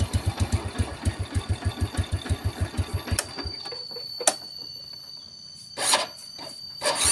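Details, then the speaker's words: Yamaha Vega RR motorcycle after engine reassembly with new seal: slow, heavy electric-start cranking, five or six labored pulses a second, no start; mechanic attributes it to thickened oil and deposits in the combustion chamber, needing cleaning. "Nah ini bisa teman-teman dengerin tadi suara ketika motor di starter terasa berat itu tinggal kita bersihkan di bagian ruang bakar"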